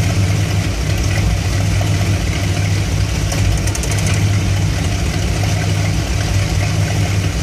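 Heavy low idle rumble with irregular dips and a loping, uneven pulse over several seconds; V8 idling rough once warm, cause unknown.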